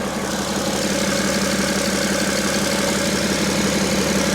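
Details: 2012 BMW X5 diesel after a failed EGR cooler was replaced: smooth, even diesel idle with steady clatter, no misses, knocks or hunting. Normal idle.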